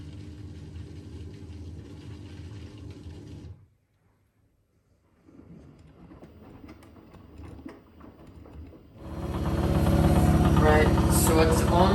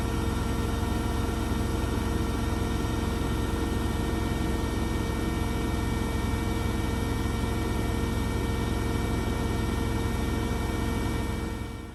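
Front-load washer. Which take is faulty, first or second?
first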